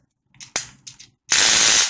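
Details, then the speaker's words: Amope Wet and Dry motorized foot file, bought new: sharp single click, light rattles, then loud hissing whirr; intermittent clicking while filing, first thought a stripped or broken gear, later suspected the roller head, not confirmed. "what my problem is I think I got a lemon when I'm running this it makes a lot of noise clicking noise as I will demonstrate like noise normally it should sound like this but every now and then when I'm filing away it would make that"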